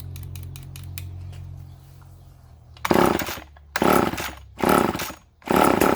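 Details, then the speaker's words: Vintage Poulan S25DAV chainsaw: it catches in four short, ragged bursts, each dying within a second, running only on the primed fuel. It won't draw fuel, a fuel-line problem. "yeah, it doesn't want to draw fuel. I fooled around with it a little more off camera."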